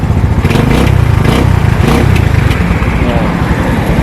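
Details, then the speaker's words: Motorcycle with a previously choppy, misfiring, backfire-like running fault, after fitting a new replacement regulator, running without a battery: steady low even throbbing engine beat with no misses or popping; repaired, normal running. "Okay so Ayun mga Bossing Naayos na natin ang unit ni Bossing"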